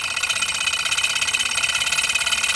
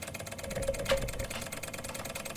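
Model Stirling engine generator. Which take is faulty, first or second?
first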